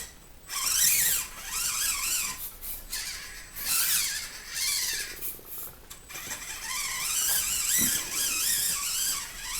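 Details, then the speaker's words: SCX24 Jeep JLU crawler with OGRC CVD axles, trimmed housings, 11% front/33% rear underdrive gears: thin motor whine cuts out as truck stalls at full steering lock; drivetrain binding, later mostly fixed by refitting stock knuckles. "It won't move. I don't know if you can see that. That's me. Full lock. hitting the throttle."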